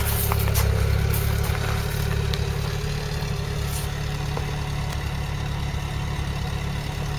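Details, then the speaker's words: Petrol engine with original carburetor, after setting timing and points, oil change, cooling flush and exhaust repair, idles with an even steady low rumble, no knocks, misses or rattles; healthy, well-tuned. "now listen to this it does sound a nice note well that's the original carburetor and nothing done to the cab i've done the timing and the points that's it"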